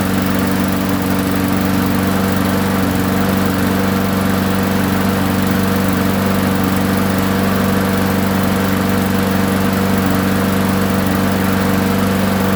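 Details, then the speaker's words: Roadside-found push mower that sat for a very long time, first run after new gasket, oil check and priming: even, steady single-cylinder drone, constant pitch, no misses or knocks; runs smoothly. "ah forgot to start filming so it does run"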